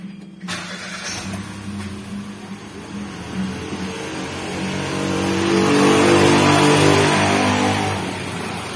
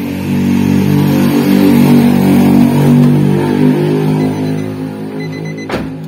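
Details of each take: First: Nissan March idling after replacing the leaking coil protector that caused misfiring and low power: the engine catches quickly, idles evenly and revs cleanly without stumbling, a smooth, healthy idle. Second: Nissan March idling with a lumpy, shaking beat pulsing about four times a second; owner complains of stumbling and low power; cylinder misfire traced to a leaking ignition coil boot (protector) tracking spark.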